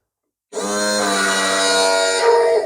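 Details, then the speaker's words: LS1 engine with side-draft/cross-ram throttle-body injection and new fuel rails, retuned stock PCM, first start attempt: steady whirring crank about two seconds with no firing; no fuel pressure, tank empty. "doesn't sound good what is that that sounds like I've got no fuel"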